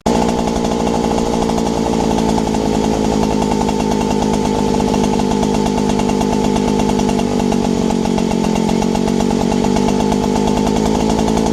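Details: Robin EC10D two-stroke engine, after points and condenser cleaning, carburettor clean and fuel tank flush, with the throttle turned down a little: steady, even running without misses or surging, normal running.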